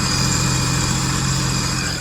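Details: 2010 Sea-Doo RXT 260 with SBT rebuilt engine, tested after carbon seal and jet pump repairs, air box off, steam from vent tube on a cold mid-40s °F day, bilge pump working: smooth low rumble with steady high whine, no misses or knocks; idles cleanly.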